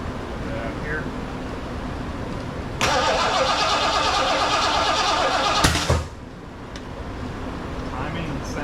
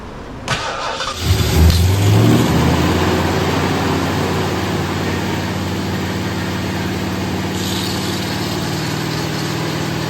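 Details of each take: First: Rebuilt 460 V8 in a 1975 Lincoln Continental, first start attempt with break-in oil: about three seconds of fast, even cranking with a sharp pop back through the carburetor; timing checked with light, ignition found 180 degrees out. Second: First start of a rebuilt Ford 460 V8 in a 1975 Lincoln Continental, distributor earlier installed 180° off and fixed: short crank, quick catch, brief flare, then steady even idle; normal start and idle before an oil filter seal blew.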